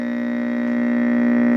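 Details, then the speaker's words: 1966 Zenith All American 5 model 504C tube AM radio gives a steady low buzzy hum that swells as the AC supply is raised toward 95 V, unaffected by the volume control; dried-out filter capacitors. "a hum here. Okay, I'm bringing I'm bringing the voltage way back down. It's only got 23 volts on it right now. Jeepers, that thing has a loud hum when you're up close to the supply voltage."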